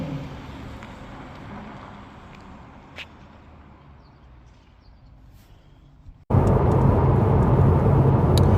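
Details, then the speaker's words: Jaguar XK at 70 mph on the motorway after wheel bearing replacement: steady, even tyre roar with no drone rising with speed; the old bearing noise is gone and the big tyres are now audible. Bearings sound healthy. "You know, I don't know if you can pick that up on the sound there, but we're doing the speed limit there, 70 mile an hour. And now that I've fixed those wheel bearings, I can hear those big tyres on the road."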